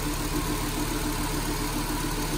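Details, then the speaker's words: 2010 Nissan Grand Livina SP after flood water to half-wheel height, heard with bonnet open after repair: smooth, even petrol idle with steady low hum, no rough grinding or rattle; normal idle, also normal with AC on. "Ini bisa melihat hasilnya. Suara mobil normal kembali, tidak ada bunyi kasar-kasar lagi."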